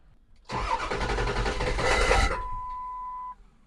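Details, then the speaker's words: 2002 Ford F250 7.3 Power Stroke diesel with a rough idle cranks in a rough, pulsing chug for about two seconds and never catches; owner suspects the ICP sensor, with an IDM replacement also planned, not confirmed. "well that wasn't good that's not good either so it's not really wanting to crank"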